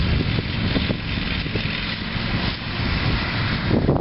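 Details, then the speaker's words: 2001 Huskee (MTD) 46-inch lawn tractor with a 22 hp Briggs & Stratton Intek V-twin, heard from a distance while mowing: uneven, lumpy note with irregular gaps and stumbles under load; the engine is misfiring. "Hear that thing misfiring."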